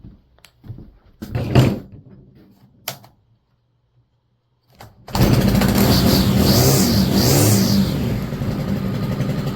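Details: STIHL FS 100RX trimmer, long-sitting, after clutch replacement: a few cord pulls, then engine catches and runs at a steady, even high pitch; healthy run with the new clutch.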